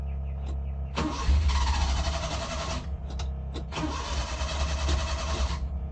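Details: Suzuki Carry Multicab F6A: two bursts of steady starter cranking, each a few seconds long, and the engine never catches; it cranks but won't start.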